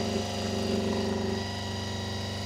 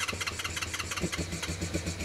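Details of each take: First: Honda VFR400 after a carburettor strip, clean and rebuild: steady multi-cylinder idle, then revs step up sharply and keep creeping higher as the carbs are balanced to the lead carb, so the idle screw must keep being turned down. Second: Honda VFR400 after its blocked carburettors were stripped, cleaned and rebuilt, started on a booster pack. Starter whirring, then uneven firing catches into a rough low idle: engine starting after carburettor cleaning.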